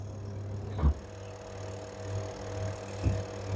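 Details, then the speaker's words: Candy semi-automatic twin-tub washing machine after belt refit; spin motor checked on one spin cycle, steady low hum with a few soft bumps, no grinding or rattle; spin motor runs well, no issue (the fault was a seized-bush wash motor). "You can see the spin motor running well, no any issue."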